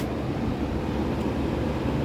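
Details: Vintage circa-1960 Hunter Zephair B2500A 18-inch two-speed electrically reversible window fan, freshly oiled, running on high in intake mode: steady, even low roar of air and motor, no knocks, rattles or scraping; normal running.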